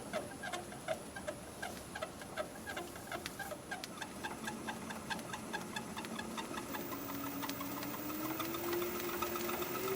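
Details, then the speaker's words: Wood lathe running slowly at 144 rpm: a light, regular chirp about two or three times a second tracking spindle speed, persisting with the chuck removed. The owner thinks it's the belt. "let's see what it sounds like running real slow yeah I hear a squeak that's 144 rpm"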